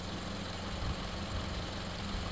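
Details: Toyota running 5W30 instead of 0W20; smooth, even low hum with a steady beat and no knocks or misses, healthy normal idle.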